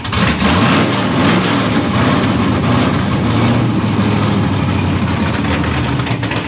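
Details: LSX V8 freshly installed in a C1 Chevelle with a new oil pan, first cold fire-up in the car: it surges and dips instead of settling, with the throttle blipped to keep it lit. Rough idle, cause suspected, not confirmed.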